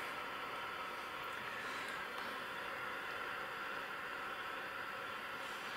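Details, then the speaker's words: Ferranti MPT1089 mains/battery transistor radio, circa 1962-63, first power-up before disassembly, about 30 mA draw: steady hiss only, no stations, no response to wave change; suspects no local oscillator, converter not working. "no local oscillator it's probably what's wrong with it there's certainly noise there no sensitivity to the wave change so perhaps the converter's not working"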